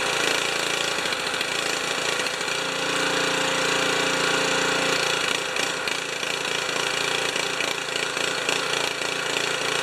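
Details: Honda HS720 snow thrower that sputters and coughs after sitting, after draining carburettor fuel: small engine surges and stumbles unevenly; owner suspects water in tank and a clogged carburettor.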